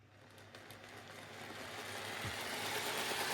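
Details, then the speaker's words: N gauge class 323 model train on an old Graham Farish chassis running on DC, thin buzzy whirr rising as it passes with light regular ticking; noisy old motor, hoped to quieten after servicing and DCC. "now as you'll hear it is quite a noisy train but remember this is quite an old grown Farish chassis"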